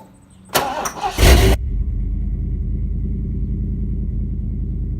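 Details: Ford F-250 with 7.5L 460 big block, after replacing the starter bypass solenoid for a no-crank, no-start and reattaching the battery: a brief crank, then immediate catch and a steady, even idle with no clicking or stumble; normal start and idle.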